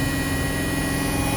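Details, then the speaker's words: Hotpoint WMXTF942P washing machine at high-speed spin after its dampers were greased; steady even hum with no knocking or thumping, a lot smoother with less vibration. Normal spin. "And this is what it's like now. A lot smoother, less vibration."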